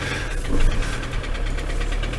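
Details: Ford Transit van, long stood unused, just started cold, held at idle for fear it won't restart if stalled: rough diesel idle with uneven low knock; knocking at idle, cause not yet found.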